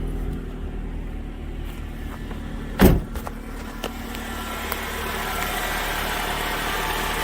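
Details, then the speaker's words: Ford Focus that ran terribly with lean code P0171 and a secondary code, after repairing a broken air box leak (found by spraying flammable brake clean) and clearing codes: low, even idle with no hunting or stumbling, one brief clunk; smooth normal idle. "I'll tell you what, that sounds pretty darn smooth. I'm confident that was the issue before."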